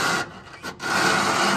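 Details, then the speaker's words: 1966 Lincoln Continental suspension with coilovers, cycled by hand after reassembly: dry rubbing squeak with a thin high note each cycle, still present after greasing; nut loosened to work grease into the dry washer and bushing. "cuz it definitely shouldn't sound like that so let's take this apart a little bit fix it and we'll try to cycle it see what it sounds like"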